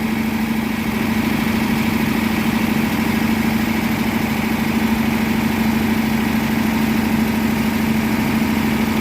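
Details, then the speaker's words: 1957 Ford Thunderbird 312 Y-block, 86,000 miles, first run after 35 years off the road: a steady, even, very high idle with no ticking, some blow-by and smoke from burning trans fluid. Owner wonders about a vacuum leak. "But it's running. Way too quiet. I don't know why again, I don't know why it's idling so high, but gotta let her be for a minute. Sounds good."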